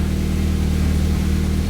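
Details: Evo X engine, sitting over 10 years, idling after its first start in the car with no check engine lights and AFRs around 14.7: deep, smooth, steady hum with no knocks, ticks or hunting; normal idle.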